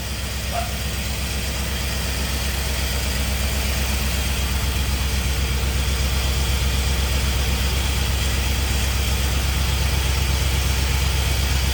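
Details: 1951 Chevy with LS swap at first start-up, running on only four cylinders because one bank's injectors aren't firing; the harness was later swapped side to side. Lumpy idle with an uneven chuff, about 160 beats a minute. Misfire, one bank dead.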